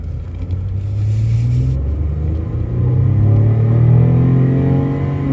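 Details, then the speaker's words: 2014 Chevrolet Impala Limited 9C1 police package, 142,000 miles, about 300 hp, hard throttle on test drive: deep rumble climbs smoothly in pitch with no stumbles, knocks or slipping; healthy engine pulling strongly. "oh man 300 horsepower this thing gets up and gets out of its own way"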